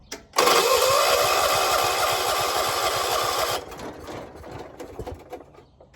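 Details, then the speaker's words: 1976 John Deere 300 hard start in the morning, battery found dead and being jump-started, owner says it has gas; starter churns rhythmically then slows to loose pulses, engine never catches; cranks but won't start. "Almost, come on. Why ain't you starting? Got gas."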